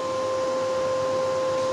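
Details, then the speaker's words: Lakoni 120E inverter welder after its non-original cooling fan was replaced. The new fan gives a strong steady whir and smooth airflow, no rattle or wobble. "dan ini lagi kipasnya sudah saya ganti Udah kenceng lagi suaranya mantap"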